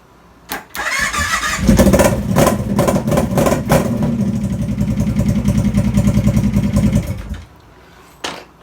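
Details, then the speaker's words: 2006 Kawasaki Brute Force 650/750 ATV after the rollover switch is bypassed with a resistor pigtail between ground and the 5-volt reference: cranks briefly, catches cleanly, steady V-twin idle; starts normally. "As you can see, that was successful."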